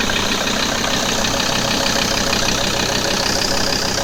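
Steady diesel idle with a faint repeating knock, roughly three a second, over the clatter; an unusual idle noise whose source isn't clear.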